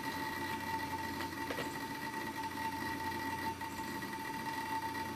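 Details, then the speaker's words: Old thrift-store PC being powered up, with a roughly 27–30 GB hard drive detected. It gives a steady, loud high whine at one pitch with a faint hum underneath, a healthy spinning drive. "sounds like a Mac store to me how many of you guys are good at picking out hard drive manufacturers by their sound Mac stores are very loud generally"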